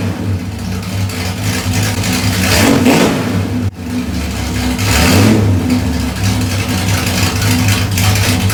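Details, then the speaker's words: 1972 Ford Maverick Grabber, Ford 302 V8, warm, new stainless straight-pipe exhaust with X-pipe giving a NASCAR-like sound: loud, even idle with two clean throttle blips rising and falling smoothly; healthy normal running. "woo that's about as good as I could have asked for freaking the x pipe was insane it makes it sound like an ncar"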